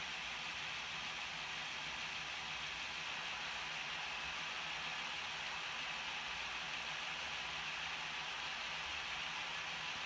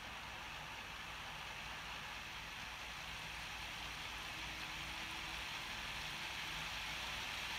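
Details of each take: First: Older Bachmann Class 66 model loco, bought second-hand a couple of years ago, at full speed, about 56 dB, roughly 6 dB quieter than a new one: steady, even high whir with no knocks; runs well. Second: New Bachmann Class 66 model locomotive at full speed, about 62 dB, compared with an older one: steady high whirring hiss with constant pitch, motor and gears thought somewhat noisy.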